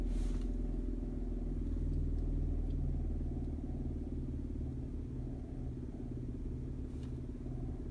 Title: 2003 Nissan Maxima - Cabin Ticking Noise Diagnosis